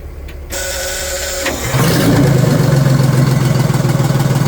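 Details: Old Detroit Diesel two-stroke in a vintage GMC truck, restarted on fresh fuel with the fuel filters removed: the starter cranks briefly, catches at about two seconds, then settles into a steady, even idle with a low rhythmic clatter.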